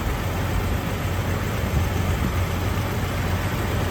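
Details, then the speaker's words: Jeep Wrangler TJ, first start after reinstalling the cylinder head, lifters, rockers and valve train following a blown head gasket: even low rumble idle with no ticking or tapping and no leaks; healthy. "So far it looks good. It's not ticking and nothing's leaking out."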